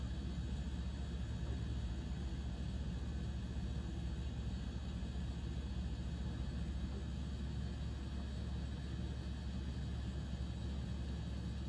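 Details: KitchenAid fridge KSCS25FVMS01, cooling normally but with steady hum broken by clicks, then chirping as the fan briefly pauses; fixed by repairing the control board.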